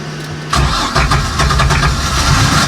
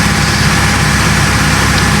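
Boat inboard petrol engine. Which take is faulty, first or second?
first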